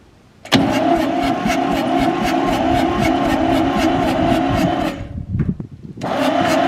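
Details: Fire-damaged Ford 4000 tractor, sat 20+ years, no electrical system, starter on a temporary lead, before fuel bleeding: slow, even starter cranking at about three compression beats a second, never catches; no start, faulty injection pump not delivering fuel.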